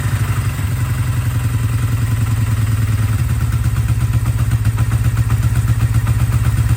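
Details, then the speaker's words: 1982 Kawasaki KZ305 revived after sitting 30+ years, carbs vacuum-balanced: cold start after sitting a few days on full choke; catches quickly into a steady, even low idle with no knocks or misses; normal cold start. "all right so cold start it's cold engine has been sitting a few days turn the fuels on choke all the way up start it"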